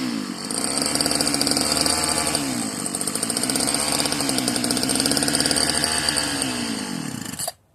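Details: Marketplace Homelite-type string trimmer, bottle-fed 2-cycle fuel; sticky throttle cable, and dirt blew out of the muffler on starting. A rich, buzzy two-stroke winds up and drops back at high revs, sharper than normal; the owner says it almost sounds hopped up. Cause unclear.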